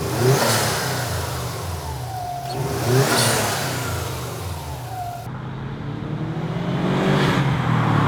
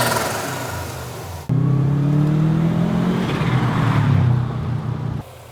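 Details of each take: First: Turbo car with a GFB adjustable blow-off valve set to full recirculation. Revs rise and drop cleanly with a soft whoosh on lift-off and no compressor surge flutter: normal blow-off valve recirculation. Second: Turbocharged car with the blow-off valve blocked so it cannot vent: engine revs up, then rapid fluttering chatter as the throttle closes with boost trapped; turbo compressor surge (flutter).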